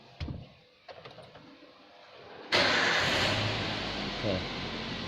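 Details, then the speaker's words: Toyota Avanza VVT-i after the crankshaft position sensor fault code is cleared: a few clicks and a short crank, then the engine catches and settles into a steady, even normal idle. "Hai setelah tebel sikap sensor kita hapus Hai 2.30 ada truk yang muncul kita hidupan akhirnya mesin bisa hidup dengan normal kembali"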